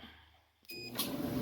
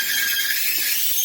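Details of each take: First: Maytag MEDE200XW1 dryer after teardown and bearing and roller replacement: short start tone, then steady even low drum hum with no squeak or scrape; running normally. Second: Loud, steady high-pitched mechanical squeal from a roadside-found Maytag 2000 series MCT electric dryer (PN MEDE200XW1), tested before repair; lint screen rarely cleaned. Fixed by full teardown to repair the bearings and rollers.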